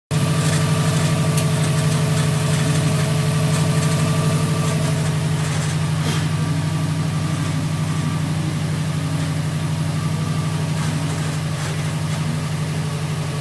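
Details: 2008 Subaru WRX at cold idle in the morning: fast, even rattle about four beats a second over the engine drone, disappears with clutch pushed in, gets loud when feathering; cause unknown.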